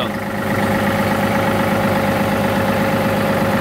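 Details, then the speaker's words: 2018 John Deere 3038E diesel tractor, previously intermittent crank no-start with code ECU A 523249.05 (crank/cam position sensor not read), now fixed without replacing the sensor: steady even diesel idle with no misses or stumbles. "Everything's running good. Tractor arrives up fine."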